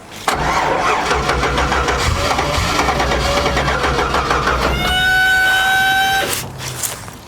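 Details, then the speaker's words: 1959 Chevy Apache, first start attempt on a small jump box, noisy fuel pump: starter churns about three beats a second without catching, then high whirr before quitting; weak cranking, no fire, jump box suspected too weak. "I think our battery box kicked off. Yeah, I think that's our whole problem. Honestly, that little that little jump box just not enough power to power everything it needs."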